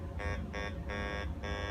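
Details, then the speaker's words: Fisher F75 LTD SE metal detector over two silver bars side by side: two short low grunting tones under a higher chirp, each a third of a second; signal overload makes large silver read as iron, compensated by scanning with coil tip. "Huh, iron again. Let's try it like this. Still iron."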